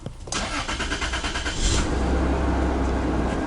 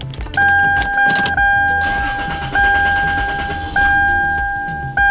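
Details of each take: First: Toyota 3rd gen 4Runner after fuel filter replacement and fuel pump priming; died on first attempt, then brief cranking, catches cleanly and settles into a smooth, steady idle with no stumble; healthy start. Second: 3rd gen Toyota 4Runner after fuel filter replacement, system primed by cycling key about ten times: starter cranks, engine catches briefly then dies under a door chime; fuel not fully primed. Restarts on next try.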